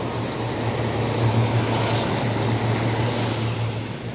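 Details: Hot tub pump two running after a slow start, during air purge, following a pump assembly replacement for a broken impeller: steady, even motor hum with smooth water flow, no surging or knocking; normal.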